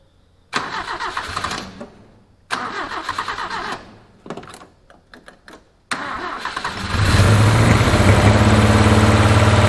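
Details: 1981 Toyota Hilux RN46 4x4 with 18RC engine, rescued non-runner fed from a fuel can: cranking bursts, then it catches into a fast, uneven run with irregular backfire pops; owner guesses timing is still a little out.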